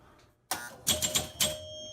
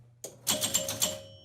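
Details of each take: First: Gottlieb Sure Shot electromechanical pinball during troubleshooting, after closing a contact: quick run of sharp clicks and ringing chimes as the bullseye scores 500 and a target scores 4,000. Normal scoring operation. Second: Gottlieb Sure Shot electromechanical pinball: hitting the 500 target makes several score reels clack together in a quick burst. Relay heard locking on, and rollovers buzz without scoring. Score reels stepping together.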